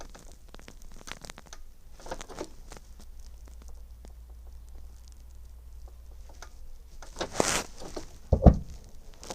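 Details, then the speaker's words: 2013 Bailey Pegasus GT65 Rimini caravan fridge lit on gas, gas dial held in while the igniter is pressed: faint dry igniter ticks, then a soft rushing roar as the burner catches, and the indicator moves into green; normal ignition. "And you can actually hear that roar up. Just at the side of the fridge, we've got a little indicator which the little red dial comes up into the green just to say that that's lit."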